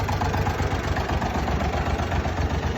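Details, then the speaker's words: Massey Ferguson 135 petrol tractor idling after replacing three bad spark plugs that caused a misfire: steady, even low throb with no missing beats; running smooth, the plugs were the problem. "here is the tractor you can hear the nice is good and smooth so that was the problem"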